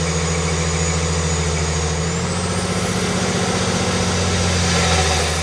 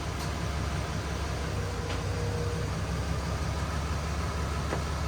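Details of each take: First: Stock 2020 Cummins automatic on a chassis dyno with the air filter removed and the airbox lid flipped upward: loud turbo whistle climbing and sagging over an unevenly pulling diesel roar; it ran very angry, likely from disrupted mass airflow sensor readings. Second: Stock 2020 Cummins automatic on a chassis dyno, airbox back in and codes cleared: deep, even diesel roar under full load with no stumble, knock or surging; a clean pull of about 327 hp and nearly 800 lb-ft around 1800 rpm, possibly not in lockup.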